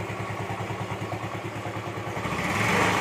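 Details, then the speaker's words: Yamaha Mio M3/Mio Z 125 scooter after piston ring replacement and camshaft/valve tapping repair: steady, quiet exhaust putter at idle, no tapping, no white smoke even when revved; engine now healthy. "jadi lihat dan suara ngelitik nya juga hilang kawannya mesin full adem yang terdengar hanya suara dari knalpot doang ya suara mesin adem"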